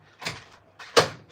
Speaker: You can hear it cracking and popping. So, for those of you who are new to a stamp and cut and emboss machine, cracking and popping is perfectly normal.